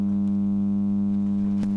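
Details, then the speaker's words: Denon AVR-1804 AV receiver, speaker on left channel: loud steady low buzzing hum from blown output-stage transistors and resistors, with DC voltage present on the speaker outputs. "let me just put this over to the left Channel now we turn it on now you can hear it humming hopefully you can hear"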